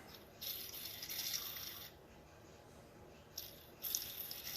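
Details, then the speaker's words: National Detroit DAQ air-powered DA sander disassembled: bearing spun by hand gives dry, gritty rattling bursts after cleaning with brake cleaner; rough dry bearing that wants replacing. "sound very good really dry but that's cuz I just use the brakes brake clean it out"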